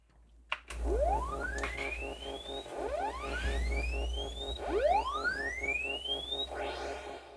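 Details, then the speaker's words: Commodore 64 SID chip run through a SID test program isolating voices: sweeps rise cleanly but a steady pulsing buzz of extra tones runs underneath; faulty SID producing spurious sounds. "yeah there's definitely additional sounds that shouldn't be there"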